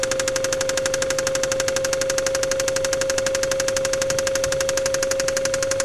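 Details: Mazda KLZE V6 with spun crankshaft bearing on cylinder No. 6, hard even knock about four times a second over the running engine; rod knock.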